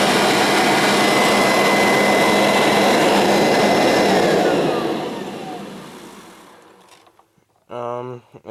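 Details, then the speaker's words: Kirby Sentria 2 vacuum with a retrofitted metal fan: smooth, even high-pitched rushing whine, then a clean spin-down to silence. Normal, healthy running. "and here is one of my favorites and sounds pretty nice sentry to with the retrofitted metal fan here we go"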